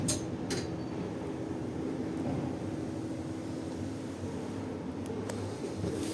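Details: 2011 Schindler 5300 elevator descending: steady low drone with a faint whine and occasional sharp clicks and squeaks; the lift usually runs well, so these are abnormal noises during descent, cause unknown.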